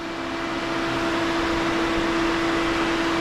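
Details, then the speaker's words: 1967 Chevy C10, first start after Holley Sniper EFI, HEI distributor and A/C upgrades, engine warm at about 205°F: second fan kicks on, steady whoosh and even hum from both radiator fans; normal cooling fan operation, existing wiring fine. "So, the second fan kicked on, so both fans came on. And there it goes again. Yeah. 205. The second fan comes on."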